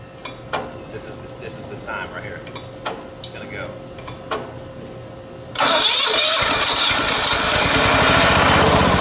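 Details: Late-1980s John Deere RX95 riding mower, after reconnecting the fuel line to the carb and opening the fuel valve: a few clicks, then it fires at once and settles into a fast, regular run with no misses; starting and running fine.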